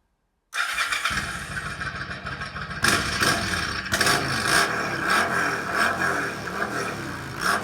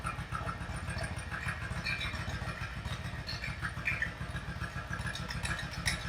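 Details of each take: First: Yamaha V Star 1100 bobber, warm, after adjusting the pilot mixture screws: even, crisp blips with no popping or backfire. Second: Yamaha V Star 1100 V-twin bobber during carburettor mixture adjustment: lumpy, uneven idle with irregular loping pulses and hesitation between beats; rough running from incorrect mixture.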